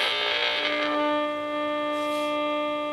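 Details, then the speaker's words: Restored early-1970s Graymark 511 all-band regenerative radio: clean, steady modulated test tone comes through loud and stable with no hiss or squeal once regeneration is backed off; receiving properly. "there you just you just got a a carrier but I'll put on the modulation and you can hear it fine"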